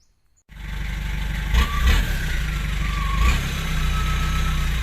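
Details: Nissan TD27 diesel fitted with a Z18 turbo, in use for many years: steady idle, then short blips bring a clean rising turbo whistle and hiss; turbo sounds healthy.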